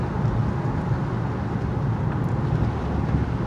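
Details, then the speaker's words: 2009 Honda Pilot, about 145,000 miles, after replacing the sway bar link that caused front-end creak and bonk: steady low road rumble with only a soft thud hitting a dip hard, no creak or clunk; noise gone. "oh yeah yeah I'd say that sound is gone I don't know if you can hear it in the video I mean there was a little bit of a bonk but that's just because I hit that dip really hard normal sound"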